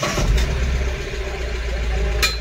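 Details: Mahindra Bolero BS6 diesel pickup after DPF silencer cleaning, previously DPF malfunction warning and high soot mass, not exceeding 60 km/h; deep rumble revs cleanly and evenly with throttle, no stumbling or hesitation; healthy.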